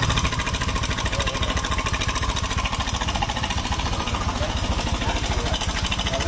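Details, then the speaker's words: 2017–2018 Honda Scoopy scooter whose engine sounds rough and noisy, run at idle with the CVT parts removed: a fast, even metallic rattle at three to four beats a second, traced to the engine's cam chain tensioner, not the CVT. "ih Ya jelas ya masalahnya bukan di bagian R si Fitri di mesin bagian ah bagian penekan keng"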